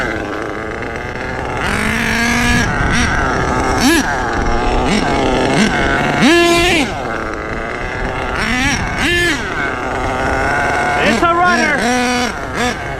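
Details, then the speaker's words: HPI Savage 21 nitro RC truck with rebuilt Dynamite .28 engine driving: loud buzzy engine rising and falling through repeated throttle blips and passes, pulling cleanly without bogging; normal running under load. "It's a good runner, too."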